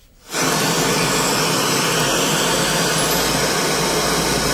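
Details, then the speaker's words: Sony Trinitron CRT TV, previously picture but no sound: after silence a steady loud hiss comes from the set's speaker; sound restored, normal audio output. "টিভিটির মধ্যে প্রথমে sound ছিল না, সবই ছিল sound ছিল না, but এখন sound এসে গেছে।"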